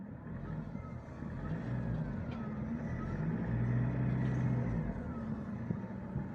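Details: 2017 Mitsubishi Pajero Sport diesel, 104,000 km, stationary with AC on then revved without moving: thin whistle rising and falling with revs over deep diesel rumble, louder with AC; turbo whistle, suspected turbo damage, not confirmed.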